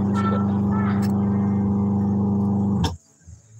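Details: Washing machine spin motor, tested during repair before the impeller is fitted, runs with a heavy steady low hum and slight pulsing roughness before cutting out; the motor capacitor is damaged.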